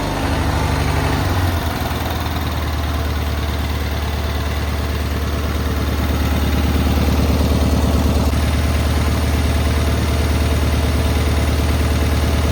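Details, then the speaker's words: Cub Cadet 682 garden tractor with Kohler KT17 twin, just started for the first time: steady, even low thrum about three beats a second, no knocks or skips; an unusually good running KT17. "This machine here is actually, I believe, that's a good running KT17. So stay tuned. We might do some projects with this machine right here. You don't usually get a KT17 in that runs this well."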